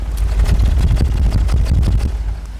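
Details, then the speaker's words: $500 auction Audi A6 quattro V6 idling, heard at the exhaust from the back: uneven, stumbling idle with irregular low puffs and dropped beats; misfire on several cylinders, with code P0303 for cylinder 3. "let's go to the back see what our exhaust sounds like huh I think that's a few cylinders short of a V6"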